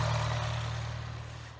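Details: BMW 116/316 engine at idle after replacing the diaphragm: steady low idle hum, even and settled, with the former belt-like whistle gone; normal after repair.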